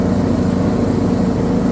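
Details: John Deere D110 with Briggs & Stratton 19 HP engine under load: low throaty drone with slightly uneven, stumbling beat, surging and misfiring; cause not yet known.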